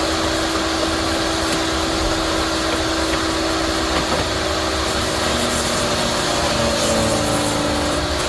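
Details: Yardworks electric garden shredder: steady high motor whine at full speed with coarse chewing and crackle as a hard branch goes through; normal shredding under load.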